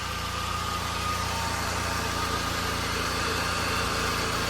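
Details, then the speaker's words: Pontiac, starter failed and just replaced; idling after repair, probably to burn off sitting oil, smelling a bit. Smooth even idle, steady low hum, no knocks, misses or hunting: normal idle. "But all right, basically all I'm gonna do now is I'm gonna let this idle for a little while. Probably burn off all that oil that's been sitting."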